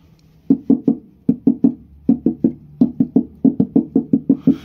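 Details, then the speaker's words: Dacia Spring floor panel at the footwells, bare sheet metal before applying vibro damping layer: sharp knocks in groups of three and four ring hollow and tinny. Hollow undamped floor panel resonance. "Vă spuneam că vreau să pun strat vibro și pe podea, pentru că auziți cum face tabla de la picioare."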